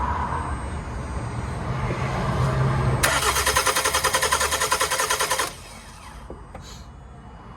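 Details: 2011 Toyota Avensis T270 2.0 D4D diesel after intake manifold and EGR valve carbon cleaning with a new gasket, injector pipes primed: cranks briefly, catches and settles to an even, steady idle, no knocks or misses; healthy.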